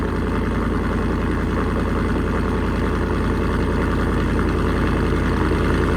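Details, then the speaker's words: 2024 Ford F150 5.0 after installing an SPD high-flow catted Y-pipe, cold start idle: a fast rhythmic puffing clatter from an exhaust leak, felt underneath. Retorque is planned if it doesn't seal. "I don't hear hear it but when it when you crank it on the cold start you can hear it I got under there and I could feel it"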